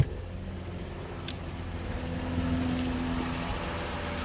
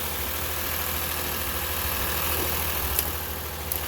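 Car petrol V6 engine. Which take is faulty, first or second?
second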